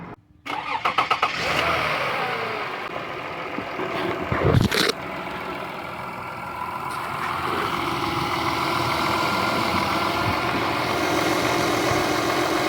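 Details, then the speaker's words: Toyota Sienna 3.3 L with a recently partially rebuilt engine, after power steering pump replacement and bleeding the system: a few cranks, it catches and settles into a smooth, even idle with no screech or whine, and the noise is gone. "That's the engine up and running very smoothly with no problem, no noises anymore."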